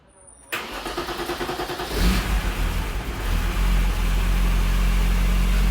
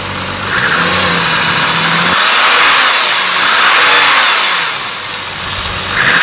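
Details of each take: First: BMW E34 M5 S38 engine first start after timing chain replacement without removing the head, cooling system being filled with heater on full: short crank, smooth steady idle with no timing chain rattle. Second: BMW E34 M5 with S38B36 engine: a hollow whirring roar that swells as the timing chains load and unload, heard most when downshifting and engine braking; worn timing chain noise, chains replaced without removing the head.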